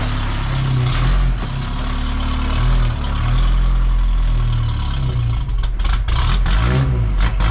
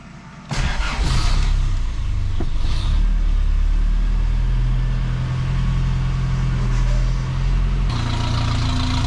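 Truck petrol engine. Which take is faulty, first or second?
first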